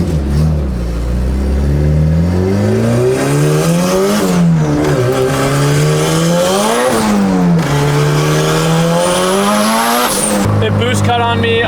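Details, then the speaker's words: Big-turbo Honda Civic under boost after an exhaust leak fix: revs climb hard, then the engine abruptly cuts and drops several times; owner unsure whether it over-boosted, ran lean or ran too rich, tune to be checked. "I might have cut because it over boosted might have come because it was lean might have cut because it was too rich I'm not totally sure"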